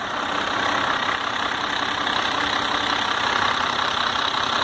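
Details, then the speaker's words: Iveco 480 diesel truck brought in for engine noise, with knocking at the rear of the engine: just after its first-crank start it holds an even, steady diesel idle clatter with no knocks or misses. "Rapaz, como que pode? Primeira partida. Acelerar ele pra mim ver, né?"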